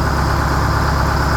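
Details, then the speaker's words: 1969 Hayes HD 6x6 with a Detroit 8V71, running after 14 years parked and after freeing stuck injectors and racks and flushing the fuel system: deep, even, steady rumble with no misses or knocks. Smoke has cleared; normal idle. "That one pipe quit smoking, so that's good. Sounds like it's running real smooth, too. And it didn't rev out and blow up, so that's an extra bonus."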